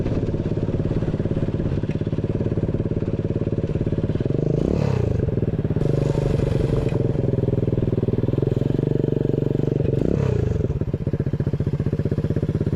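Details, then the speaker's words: Chopper-style build with new 125cc 4-speed kick-start engine, new exhaust: small single chugs steadily with even firing, picks up cleanly on throttle blips and drops back smoothly; runs healthy. "sounds good guys it's got a nice little St to it yeah I'm happy with that way better"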